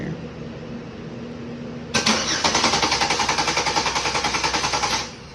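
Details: 2007 Saturn Aura 3.5 L V6 crank no start, new battery over 12 volts, starter relay 31: starter turns engine over with quick even chugging rhythm about three seconds, no clicking; cranking normally, new relay then fixed it.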